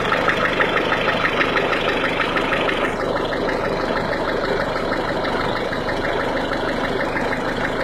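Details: 1.6 HDi diesel engine cold: rapid, fairly regular clacking about three per second over the idle; cold-engine clatter, cause unclear.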